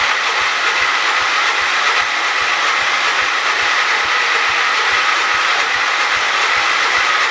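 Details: John Deere 212 donor garden tractor, sat about a year, spark confirmed present: even rapid cranking about three strokes a second that never catches; turns over but won't fire, owner adding fuel next. Cause suspected, not confirmed.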